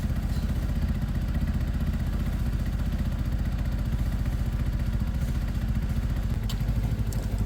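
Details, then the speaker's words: Sinnis fuel-injected motorcycle, warming up after a week sitting: quick even putter, steady with no knocks or misfires, barely audible; normal idle. "look how smooth these bikes are. No issues at all. You can barely hear this one on, look. It actually is on."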